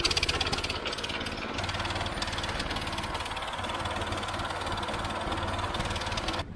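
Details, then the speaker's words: Old Howard Gem rotary hoe single-cylinder after freeing stuck valves and fitting a Honda Fourtrax muffler: steady, even chug under load, about 70 dB, like a quad bike, no knocks; running healthy. "uh loaded down to around 70 decibels which i'm pretty happy with you don't really even need earmuffs now it just sounds like a quad bike really so that's perfect now"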